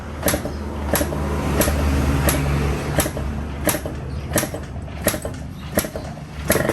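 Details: Two-stroke, first start after 2 years of storage, fed from a makeshift tank because the original leaks: uneven popping and crackling that rises and falls, and the engine keeps running.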